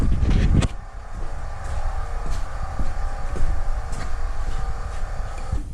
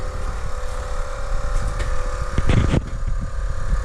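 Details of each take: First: 2008 Trailblazer SS with a new Dorman rear air suspension compressor, air springs and sensors: steady low buzzing hum that never cuts out, raising the rear to about 34.5 in against a 33 in spec. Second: 2008 Chevrolet Trailblazer SS, new rear air suspension compressor switched on with key: deep, steady, slightly rough pumping drone filling empty air springs; compressor runs, though it doesn't sound terribly healthy.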